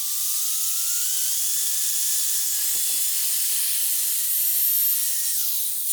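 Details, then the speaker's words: Bosch GWS 13-125 CIE angle grinder tested at lowest speed after cleaning: thin high whine wanders and sags instead of holding steady, with visible sparking; motor running poorly, armature suspected. "And what can we see, that it's we have the sparks and not really working as it should work, so that's a bad sign for us, and I think we need to change the armature."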